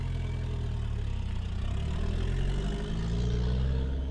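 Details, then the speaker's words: 1976 Volvo 240 B23E with home turbo conversion, test run: low fairly steady note with slight rough edge; breaks up around 3000 rpm, worse than before the turbo, breakup also present pre-turbo; cause not pinned down. "so in this case it sounds mean and everything but if i get it up like three three thousand rpm it breaks up"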